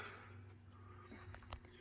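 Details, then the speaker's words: 1996 Hunter Innova 44-inch ceiling fan with replacement Summer Breeze motor, on low speed; quiet steady low hum with faint buzz, owner believes these fans are plagued with hum by design; ceiling fan motor hum. "you can hear the hum these things apparently i think we're always plagued with the hum just the way they're designed"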